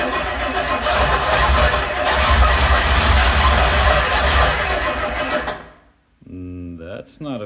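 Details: Rolls-Royce Silver Shadow with choking/stalling issue, test start after ignition tune-up of new distributor cap, rotor, points and capacitor, old ignition wire and coil still fitted; cranks and catches unevenly, stumbling and surging before dying, cause not yet clear.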